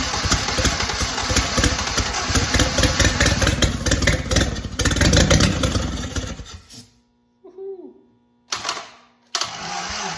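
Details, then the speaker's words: 1943 Willys Jeep WWII Go Devil engine, after decades unrun, during first-start timing adjustment: runs briefly then cuts out, following cranks short and dragging as battery dies; weak battery, slow cranking. "Never fails that the battery starts to die when you just get it there. Never fails."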